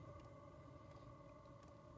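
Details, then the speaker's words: Tent heater with cast iron heat exchanger, recorded at the exhaust on a cold morning: a soft steady hum with a constant mid tone and low rumble, no knocks or surges; running normally. "There it is, over there, that exhaust. There it is. That's just humming away."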